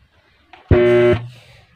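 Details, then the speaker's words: Mini amplifier with two mic inputs: loud buzzy hum bursts from speaker at switch-on then fades; DC reaching the amplifier output. "Ayun tumutunog umugong nga aayo"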